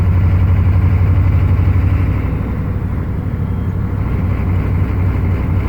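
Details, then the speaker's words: 1995 Chevy 3/4-ton 6.5 turbo diesel, rebuilt DB2 injection pump (db2831-4911), warming up, driving: heavy drone rising and falling in slow waves under clatter, shudder around 1500 rpm, better after set-screw adjustment; engine surge, cause not found. "Hear how unstable it is? So before I adjusted that set screw, that was way worse."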